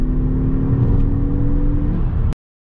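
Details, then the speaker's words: Ford Focus III ST 2.0 EcoBoost 250 hp, repaired for low compression from a damaged piston, after a road test with water temperature and oil pressure normal: smooth, even hum with no knocks or misses; engine runs fine. "tout est ok y'a pas de moyens moteurs ya pas de problème autres compressions outre donc le moteur marche"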